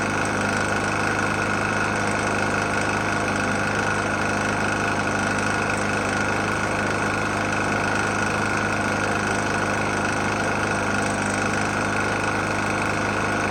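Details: Murray E450 mower, Briggs & Stratton engine, oil found nearly empty and topped up, restarted after running out of gas: a steady single-cylinder idle with a loose, uneven knock under it throughout; cause not pinned down.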